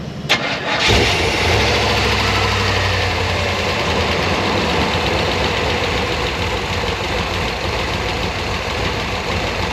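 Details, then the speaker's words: Restored OBS Chevy truck with throttle body injection: it cranks, catches and settles into a lumpy, stumbling idle with smoke visible. The left injector is leaking and not spraying half the time, causing a misfire. "Look at that left injector. It's not even spraying half the time because it's leaking. Well, you can hear it. It misses every year."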